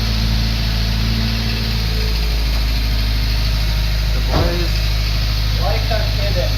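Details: Honda Civic on its first start, with spilled oil smoking, in neutral: a steady, low idle with an even pulse and no tapping or knocking, and a brief blip that returns cleanly. Normal idle.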